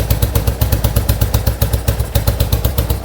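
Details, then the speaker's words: 1970 Yamaha XS650 XS1 carbureted twin, freshly rebuilt top end (new pistons, rings, valve job, seals, new exhaust), idling while warming: even, loping beat about four pulses a second, crisp exhaust chuff, no odd knocks; sounds healthy. "Takes a little while to warm up on these old carburetor guys, but you can see sounds really good. Engine's nice and"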